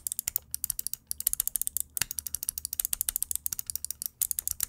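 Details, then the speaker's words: Cooler Master MM710 mouse sound test of main buttons one and two, which are loose and can be moved around. Rapid bright clicking about ten per second, each click with a loose clattery edge: rattling main buttons. "let's start with the mouse one and two they rattle and can be moved around"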